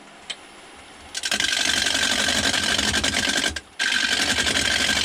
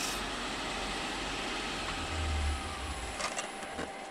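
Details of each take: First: You can hear it kind of chatter as it's going around. That's because it's only hitting on the corners. It's not all the way around. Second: Wood lathe turning a 6x6 cedar lamp body in reverse while sanding with 120 grit: a steady, even abrasive hiss over a smooth motor hum with no knocks; normal running.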